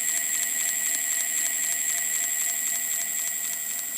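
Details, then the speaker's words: Ancheer electric bike, 26-inch wheels, hub motor at about 350 miles with grinding uphill: spun up, crisp regular clicks about four per second over thin whine; clicking stops when circuit board pressed, owner suspects sensors/loose plates, unconfirmed. "Okay, I sped it up a little so I can hear the noise, and you can, I hope you hear it. It's making a clicking noise,"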